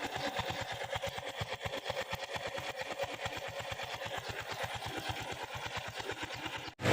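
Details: Honda Wave 110i single-cylinder after valve clearance adjustment, restarted to check for oil leaks: steady even putter with regular light ticking at idle, no misses or knocks; normal healthy idle.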